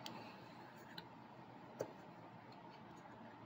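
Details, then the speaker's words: New replacement mower PTO clutch spun by hand: quiet, with a few light clicks and no growl. The old clutch, removed after a fairly new belt stretched, growled from a failed bearing. "but you don't hear that noise that means the bearings have to some degree failed on this good thing I went ahead and ordered the replacement"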